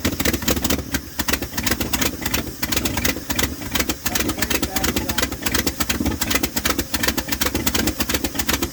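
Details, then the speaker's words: 1978 Dodge D100 pickup, first run after a fuel pump swap: ragged, uneven pulses at a very low sagging idle; owner suspects the mixture or idle screws need adjusting, possibly stuck floats in the hand-filled carburetor. "It's running pretty rough. Almost like it's idled down too low. Um could just be one of these screws need adjusted."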